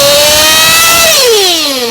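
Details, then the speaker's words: Race engine on VP Power Master fuel, top-end tuning, being leaned in small bumps with revs between adjustments: loud high-pitched scream that sags as it unloads, not yet crisp and clean; slightly rich running. "Now I don't know if you can hear that on audio, but the engine is not getting that crisp, clean sound."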